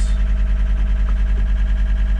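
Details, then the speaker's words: John Deere track skid steer, believed 329D, running with park brake released: loud tone pulsing about nine times a second, warning that the left joystick reads out of center/neutral. "okay so it's saying left joystick not in Center so it's fussing about this joystick saying it's not in Center"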